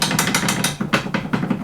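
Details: 2011 Polaris RZR 800 drive shaft, front joint under the vehicle: quick bursts of loose metallic clacks about five a second as the shaft is rocked by hand; excessive play in a worn joint, roll pin to be removed for shaft removal.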